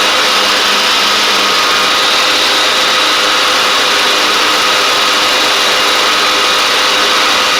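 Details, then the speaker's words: Craftsman DYT4000 riding mower, dragged out of the woods after sitting, now with new tank grommet, shutoff switch and blades: small single steady and even at fast idle, no misses or knocks, faint deck whirr; it started, ran, drove and cut. Normal running. "this thing started up ran drove and cut which is pretty impressive for how for I literally drug this thing out of the woods at this other guy's house where he had it sitting at"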